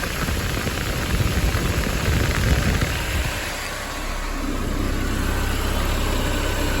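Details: Mercedes-Benz 190E (W201) blower fan reinstalled after heater core coolant leak work, motor replaced ten years ago after it chirped from wear: steady even rushing airflow with no chirping or scraping; fan runs smoothly.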